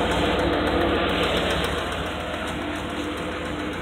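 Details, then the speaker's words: Truck running rough with an uneven tapping about three to four per second under heavy noise; owner thinks the kick-kick ticking is a lifter and mentions low oil pressure. Cause suspected, not confirmed. "the kick kick kick but that's a lifter taking out any loose to run quiet and smooth"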